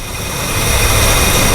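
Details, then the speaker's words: 1968/69 Mercury with 390 Ford FE V8 at idle, vacuum line pinched off with pliers: the idle steadies and evens out; a leak through the rotted power brake booster diaphragm was leaning cylinders 4 and 5. "now she's smoothing out that's a definite leak right in here it's just sucking right past the uh power brake booster"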